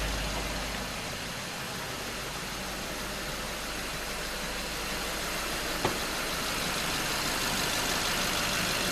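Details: 2011 BMW 550i started after an oil change (about 8 quarts), filter housing and drain plug dry with no leaks: even, steady idle hum with no knocks, ticks or misses over faint hiss; normal idle.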